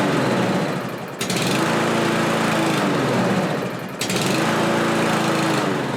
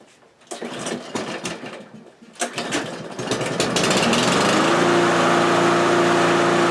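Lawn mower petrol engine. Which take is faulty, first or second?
first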